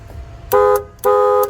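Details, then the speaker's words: Newly installed horn on a 1986 Grady White Tournament 22-3 boat under restoration: two loud, clean, steady blasts of about a quarter and half second with a car-horn-like tone. Normal horn operation. "It makes good noise. It's pretty loud. It sounds like a car horn."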